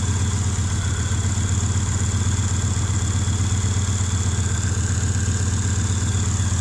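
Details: Cadillac 300 HP Northstar V8 with a broken exhaust, after replacing the blown PCM fuse, charging at 14.7 V: deep, even idle beat of about four pulses a second with no misses or knocks. Healthy idle.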